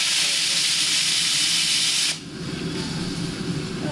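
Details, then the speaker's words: New vertical test boiler rising to 120 psi with burner on: loud steady high-pitched roar of steam as a safety valve lifts, cutting off sharply after about two seconds as it reseats. "Okay, here we go. It's going 120. 120. This one will probably go off."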